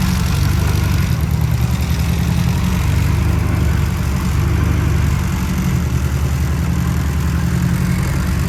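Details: VW Mk5 Golf with newly built 20VT engine with new rods, on E85 race fuel, first startup: steady even low rumble with no knocks, misses or ticks; idling smoothly and healthy.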